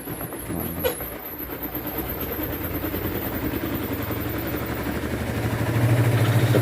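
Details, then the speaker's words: Sharp EST85CL washing machine spin dryer after repair of "gluduk" knocking (worn plastic joint lining suspected), test with load, lid open: even low hum building as drum spins up, no knocking or thumping; spinning smoothly. "walaupun tidak ditutup dulu nyaman aturan penting juga terkenal tangannya dan tidak ada lagi kan bunyi klotok-klotok"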